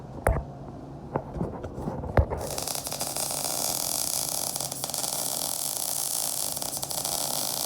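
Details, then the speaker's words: Beginner's MIG bead, stacking dimes, with short wire stickout: a few pops at the start, then the arc settles into an even, steady frying crackle; much better than her first bad attempt, a properly set weld. "It sounds good. She's welding. Look, it got way better."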